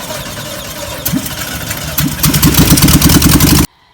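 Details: 1958 VW panel bus with flat-four, sitting 50 years, after starter replaced and points cleaned: cranks, coughs a few times, then catches into a quick uneven beat of about three firings a second; engine starts and runs.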